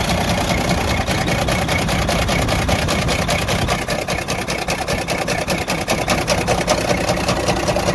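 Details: Freightliner Cascadia with DD15 diesel idling: a loud, regular knock about two to three per second over the rumble; engine knock from major internal damage.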